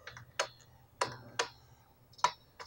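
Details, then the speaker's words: Ernie Ball Music Man StingRay bass plugged into an amp before repair, customer-reported crackly pots: irregular sharp pops and crackles over a faint hum as the controls are turned, one pot scratchy. "the customer had said that the actual potential potential emitters of the bass we're quite crackly so I'm going to see if we can hear that right now"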